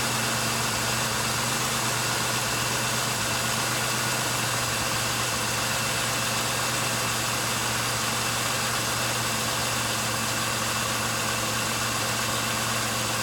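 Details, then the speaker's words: 1999 Pontiac Grand Am, about 90,000 miles, which had a rough idle, coughing starts and a check engine light, just after fuel cleaner was added: the petrol engine idles at a steady, even hum with no stumbles; now smooth. "okay well seems to be already running smoother than it was so I'm gonna keep an eye on it"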